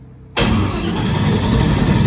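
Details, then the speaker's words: LS3 airboat engine just converted from carburetor to Holley Sniper fuel injection: cranks and catches roughly, with snapping sparks arcing between coil and bolt; suspected short in coil wiring harness, unconfirmed; cranking, no start. "So she's arcing over there for some reason. It's got to have a short in that ignition."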